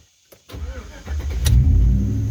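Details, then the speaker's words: 2004 Chevy Tahoe after fixing no crank no start by rewiring the radio off the ignition wire to the correct hot wire: short crank, catches cleanly within a second, smooth steady idle; normal start. "no more issues. No more no crank, no start issues."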